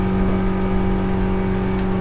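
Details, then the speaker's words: 2005 Hewescraft 180 SeaRunner with Honda 90 HP main outboard (686 hours) on an offshore bracket, at full throttle doing about 28 mph: a steady, unwavering low drone with no misses, knocks or surging. It runs strong but may be slightly underpowered. "this thing actually runs out nice not real fast 28 miles an hour"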